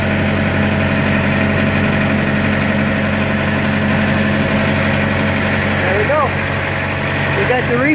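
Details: Truck reefer unit diesel engine, started during daily pre-trip inspection after sitting unused over a week: steady even diesel drone with constant low hum, no knocks or misses; running normally.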